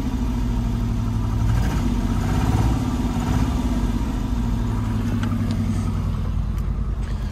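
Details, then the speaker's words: Neglected, long-parked Citroen SM brought back to life, its hydraulic suspension lifting once running: an even, steady idle with a smooth low throb and no knocks or misses. Normal idle. "well today i learned a few things about the citroen one is it runs it actually sounds pretty decent"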